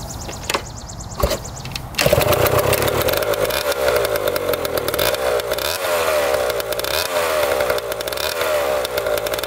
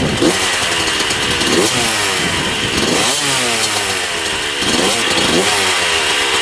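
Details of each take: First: 1994 Honda CR125 two-stroke after the coolant-leaking cylinder/head was properly repaired and premix added: it catches after handling knocks and buzzes raggedly but runs steadily on first start. Lots of old crankcase oil is burning off, a good sign. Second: 1994 Honda CR125 two-stroke dirt bike, with a temporary gasket-maker fix on the coolant-leaking cylinder/head: crisp, raspy revving sweeps with a thin edge. The owner thinks it sounds lean and needs richer jetting.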